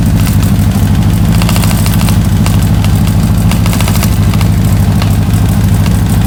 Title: Ticking noise